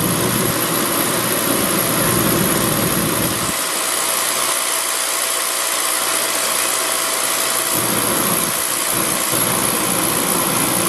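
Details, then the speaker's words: Beckett oil burner, pump about 140 psi. The supply is cut back to simulate a restricted oil line, and vacuum rises much higher. The roar loses its low rumble for about four seconds, then returns, the flame cycling on and off. Restricted supply line. "that's what a restricted line is going to look like watch fire on off on off like that it's going to be a restricted line so when you got a restrict the line your vacuum will go up a lot higher obviously yeah"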